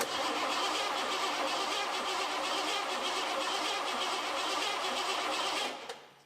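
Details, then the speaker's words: 1986 Ford F150 with the early-EFI 5.0 V8, sitting about 25 years: starting fluid sprayed, then steady even cranking for about six seconds with no firing at all. No spark; the coil is buried in a rat-infested spot. "Not sounding good. Well, that's telling me we got no spark."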